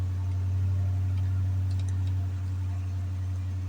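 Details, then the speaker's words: Hemi engine after repair for codes P0520, P1521, P0344, just after replacing the oil pressure sensor: started and idling smooth and steady, even pulse near four a second, no ticking or knocking; normal idle. "to 61 6 to one 6 to1 engine [Music] running this do sound nice"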